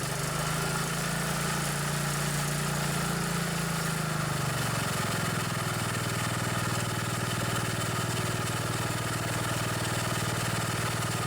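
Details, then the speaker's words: Old single-cylinder riding mower that had been sitting too long. It starts and pops along steadily, settling slightly but still idling fast because the throttle is set a bit high; otherwise in good shape. "that one runs good too the throttle set a little bit high but all in all good shape"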